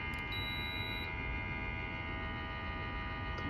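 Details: Alpine/Blue Ridge mini split indoor unit, fan at top/turbo speed: steady loud hum and rattle from the fan motor with several fixed pitches over airy fan rush; filter freshly cleaned.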